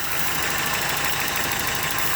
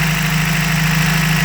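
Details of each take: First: 1993 Toyota pickup 22R engine with a high or surging idle complaint, here at a low, quiet, steady idle with no hunting while diagnosing fast idle valve and TPS; idle normal. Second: 1993 Toyota pickup 22R engine, warm, high or surging idle, running lean on O2 sensor, TPS good: steady even hum at raised idle, no hunting; coolant-controlled fast idle valve suspected stuck if its hoses stay cold.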